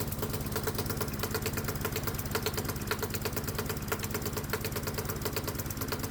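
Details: Hot-bulb semi-diesel lawnmower single-cylinder, spark plug disconnected, switched from a 50-50 vegetable oil/gasoline mix to pure vegetable oil: uneven, labouring chugging at irregular beats around three a second, as the thick oil won't atomize properly.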